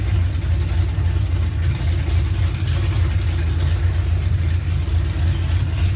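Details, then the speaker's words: 1981 Monte Carlo G-body with 355 small-block V8, camshaft, carburetor to be replaced with a Holley, during rear end swap: deep steady idle with even choppy cam lope; sounds healthy, awesome throttle response. "let you guys hear what the cam shaft sounds like so it sounds pretty healthy i mean the throttle response on this is awesome"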